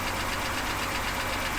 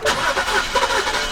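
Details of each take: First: BMW E70 X5 with N52 engine, sat for two years, first start after starter replacement: light, quick ticking over a steady idle, rising with engine speed; valvetrain tapping blamed on oil supply not yet established after sitting, not confirmed. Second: 2007-2010 BMW E70 X5 with N52 engine, sat for two years, right after a starter replacement: brief quick crank catches almost at once and settles into a smooth idle; clean normal start. Some tapping noted, blamed on poor oil supply after sitting.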